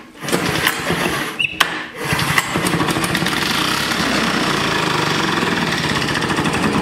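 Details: Vintage Flymo hover mower, just reassembled and possibly flooded, pulled without choke: a couple of sharp pulls, then it catches and settles into a fast, even buzz that holds steady; normal start.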